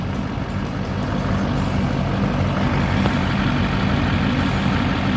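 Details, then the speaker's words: 2008 GMC Sierra 3500HD dually, 6.6L Duramax diesel, Allison automatic, 4WD, Edge tuner, 127,223 miles, parked since about 2021–2022, started on two new batteries: deep, even diesel clatter at idle with no stumbles, knocks or visible smoke; normal idle. "You can hear it run. You can see back here. I don't know where the exhaust is, but it's not smoking."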